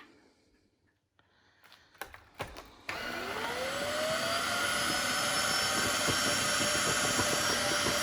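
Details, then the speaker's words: Bissell Crossave wet floor cleaner on max/auto mode after an extreme mess test: motor spins up with a rising whine, then a strained, hissy roar as water comes back out; suction path and debris channel clogged with debris, blocked suction. "no it's blocked see all the water's just coming out"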